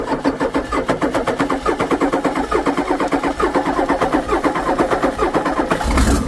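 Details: Cold Ford 6.9 IDI turbo diesel with no compression, fed starting fluid: uneven, lumpy chuffing pulses, several a second, never settling into an idle; rough running, smoke from radiator, suspected blown engine.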